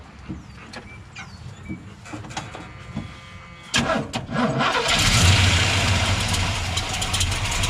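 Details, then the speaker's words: Freshly built big block 454 V8 in a 1982 Chevrolet K10, first start, old leaking 2.25-inch exhaust from the previous 350: a few clicks, then catches into a loud, steady, even rumble; sounds strong and healthy. "gotta be honest man that thing sounds great I mean really really good strong motor"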